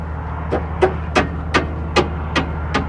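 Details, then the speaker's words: Air-brake auto slack adjuster on a trailer with weak braking, backed off half a turn after snugging the shoe to the drum: seven crisp, even ratchet clicks in about three seconds, showing the teeth are intact and the adjuster is good. "you hear that those teeth clicking that means it's a good slack adjuster and it has teeth still on it grab it so there's a half a turn"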